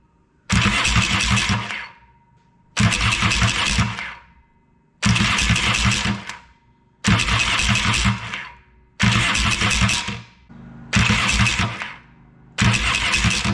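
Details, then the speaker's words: Yamaha XS650 after fixing a grinding starter at the starter gears behind the clutch: seven even cranking bursts about two seconds apart, starter spinning smoothly with no grinding or clashing; normal cranking after repair. "well that seems to have done the trick"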